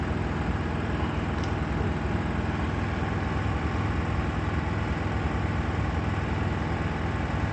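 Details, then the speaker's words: Miele WKG 130 WPS washing machine in spin mode: heavy low rumble with strong vibration through the machine and a rough, repeating knock from inside, usually due to worn shock absorbers, which are replaced as the fix. "that's in the spin mode strong vibrations are felt throughout the entire machine I'm trying to show them here because they are not clearly visible in the recorded video in addition to them there is a knocking noise from inside"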